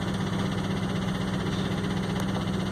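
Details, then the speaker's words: 2004 Ford F-150 crew cab 4x4 at idle and shutdown: rough lumpy idle with steady low pulsing and faint sucking hiss, wailing heard at shutoff; cylinder 1 misfire, suspected large vacuum leak. "we're going to shut it down and then when it shut off you just hear that that wailing noise again or it was sucking air so right there's got to be a pretty good sized vacuum leak"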